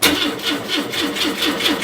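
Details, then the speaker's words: Citroen GSA, started with the alternator drive removed while checking whether a bad engine noise is the alternator: the starter turns over slowly and steadily at about four compressions a second, labouring; the battery is going flat because the alternator isn't charging properly: slow cranking. "oh that battery's going flat why has that gone flat well I hope we don't we know when that's going flat okay that's going flat because uh the alternator is not putting out an appropriate amount of um volts"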